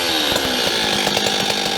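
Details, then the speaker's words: Stihl 026 chainsaw with low compression, cranking and running: a dry metallic rattle rides over the exhaust buzz, blamed on piston and ring wear rocking the piston in the bore, not the plated cylinder. "I know you guys can hear that rattle um when I was cranking and wall running it um what that is is um these cylinders generally don't wear if they have a good plating in them"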